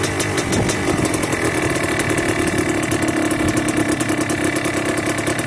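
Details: Yamaha Blaster 200cc two-stroke ATV with FMF pipe, during idle and pilot screw tuning: busy idle hangs instead of settling, with quick sharp metallic pings. Hanging idle; owner unsure whether it is lean, and turned the pilot screw richer.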